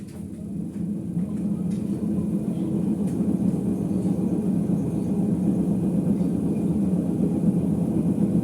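Deep low rumble swells steadily as the drum climbs to spin speed, no knocking on top; worn drum bearings.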